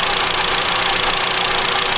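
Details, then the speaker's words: 2013 Mitsubishi ASX 1.8 petrol, CVT, 448,000 km, after replacing the alternator pulley, which had slipped and made noise. Smooth, steady idle with an even hiss and no tapping from the belt end; normal. "Сейчас этого звука нету. Всё, сейчас спокойно."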